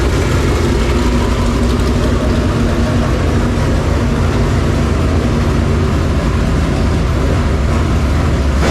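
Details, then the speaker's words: Super late model racing V8 after fixing a problem: deep, steady rumble with even beat, no knocks or misses, at operating temperature with good oil pressure and no leaks. "sounds good good thing you already de you say something all right hey sounds good good old pressure no leaks 6 pound talking about yeah at temperature good to go"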